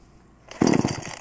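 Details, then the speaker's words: Two-stroke chainsaw, choke pulled, one pull: short dry raspy turnover with no pop or catch, the sound of cranking with no fuel in the cylinder yet, no firing. "pull the choke and you gotta listen now that was the difference in the sound it makes my hair's what it sounds like when there's no fire"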